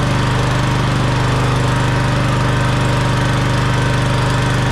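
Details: Cub Cadet CC30H mower, jump-started from dead battery on 50 A charger; loud steady low thumping at constant speed, no stumbles: runs evenly.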